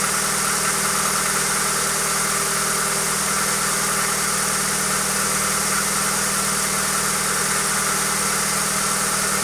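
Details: Hyundai Accent engine at steady idle with a dull, uneven knock roughly twice a second under a hissy background; cause not yet pinned down.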